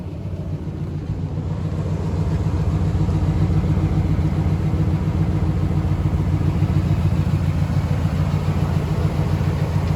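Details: 2015 Nissan Titan pickup V8, stock exhaust: deep even rumble settling into steady idle after start-up, no ticks or knocks; running smoothly.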